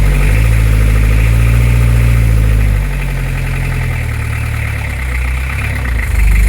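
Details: Beta 50 small two-stroke, first test: idles unevenly, revs sag after a few seconds then climb again; rough, hunting idle and surging, cause not yet found.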